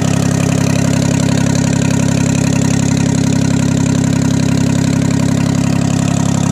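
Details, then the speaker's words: 1968 Detroit (GM) 3-53T two-stroke turbo diesel, first cold start after total overhaul, engine 4.5°C/40°F, outside -3°C; steady even idle with constant beat, no misses or knocks, stone cold, good oil pressure, no leaks; normal idle. "oh she runs pretty good guys no leaks and uh pretty well that's all i'm gonna run it it it's still stone cold but uh got really good oil pressure and there's no leak"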